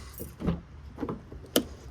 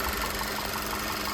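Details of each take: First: VW Tiguan with failed cylinder 1 ignition coil, after short crank an uneven shaking idle with steady stumble on three cylinders; dead cylinder from the failed coil. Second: VW Tiguan that ran on 3 cylinders with EPC code after head port cleaning and new injectors, after swapping in spark plugs and injectors from a spare Tiguan: steady idle with even ticking pulses, no skips; no longer missing, coil or plug suspected.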